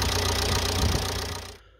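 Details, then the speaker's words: Ford Mondeo Mk4 1.8 TDCi diesel idling after alternator replacement, charging at 14.2 V: even diesel clatter at steady idle fading near the end, no knocks or squeals; normal idle. "i'm going to let the engine run for a moment so it can have a bit of a charge"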